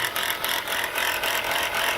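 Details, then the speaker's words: Chrysler Pacifica idling with a fast metallic ticking rattle from the alternator; bouncing pulley and brown residue point to a shot alternator bearing. "all right guys from the looks of this and the sound of this look like the alternator bearing is shot"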